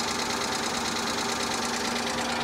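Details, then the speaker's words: Car at a salvage auction: steady rapid tapping over a smooth idle that stays constant and doesn't fade after start-up. Source unknown; low oil from a leak is mentioned as a possibility. "a lot of times these cars sit for long periods of time, and when you first start them, they'll chatter like that for a minute, and then it goes away. It should have gone away by now. Yeah, I don't like the sound of that."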